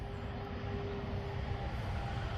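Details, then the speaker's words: About 23-year-old Neon (2000), engine just reassembled, cranked by key on and jumping the starter: steady low rumble with faint constant hum, no knocks, misses or stumbles; engine runs smoothly. "Uh, I got the engine back together and it's good to hear it run."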